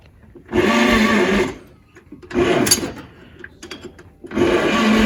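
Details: 1938 Chevrolet Master Deluxe, sitting since the early 1970s, with a rebuilt carburetor and a proper choke control fitted; three one-second bursts of starter churning that never catch: it cranks but won't start.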